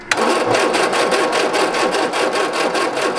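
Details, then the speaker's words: 1967 MGB GT, positive-earth, Pertronix igniter, sat for weeks: steady starter churn about two and a half turns per second, never catches; spark detector on plug lead shows no spark, crank no start. "Okay. So we have no spark. So now we got to figure out what that's all about."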